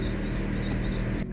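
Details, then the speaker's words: Alfa Romeo 147 1.6 Twin Spark that cut out in traffic and would not restart: after fixing the crankshaft sensor issue it starts right away, catching straight away and settling into an even low idle with no stumbling or misfire; normal idle. "And there you go. The car starts up right away, which means that we solved our issue with the crankshaft sensor."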